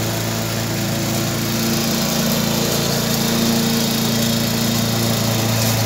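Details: Briggs & Stratton 3.5 hp engine, warm: fast, even buzz at steady speed with no misses or surging; normal running.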